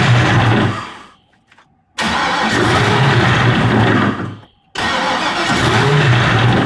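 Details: Rebuilt GM LS (LH6) V8 in a turbo jet ski, started after the leaking fuel line was replaced. It catches, runs rough about a second, cuts out, refires twice and dies; won't idle. Owner suspects idle control or break-in.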